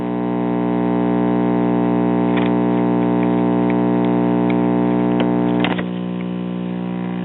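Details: Sears Silvertone battery-operated farm radio, late 1930s–early 1940s, battery eliminator after filter capacitors replaced with the original 1500 µF value: steady low mains buzz, crackle as a capacitor is clipped across, and the ripple hum drops sharply.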